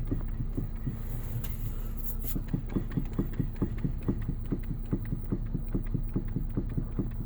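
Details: 2014 Nissan Qashqai J11: steady hollow knock about three times a second over a low engine hum, attributed to the steering rack. Cause suspected, not confirmed.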